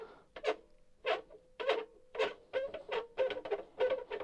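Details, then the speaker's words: New pre-production boombox radio cassette with Dolby and auto-reverse: scratchy crackle bursts each time the shortwave fine-tuning knob is turned, a dirty control needing cleaning; the volume pot is noisy too. "and I've noticed that the fine tuna for the short wave is a little bit noisy as"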